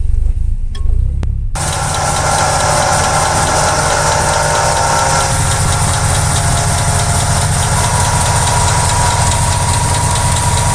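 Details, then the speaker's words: Running engine with a steady rough whirring and faint grinding from a failing water pump bearing, damaged when worn internal seals let coolant reach it; coolant may leak near the pump shaft; the whole pump should be replaced. "A veces los sellos internos de la bomba de agua se dañan, permitiendo que pase flujo de refrigerante hacia el rodamiento y se dañe. Si pasa esto, podrías observar fugas de refrigerante en las cercanías del eje de la bomba y podrías escuchar un sonido como este."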